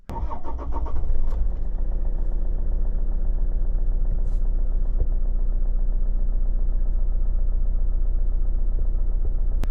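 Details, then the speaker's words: Toyota RAV4 D4D diesel with rough running and an intermittent check-engine light after an EGR valve repair, restarted after MAF sensor cleaning: engine starts and settles to an even idle about 100 rpm lower than before, steady clatter. Normal idle. "that looks very much like it is revving about 100 rpm less than it was before not a huge difference but hopefully it should help with the rough running of the car"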